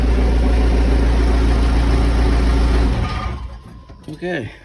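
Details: Case 580 Super L backhoe diesel after running out of fuel and being primed: deep, steady rumble, even firing with no misses or knocks, then easing off; runs smoothly again.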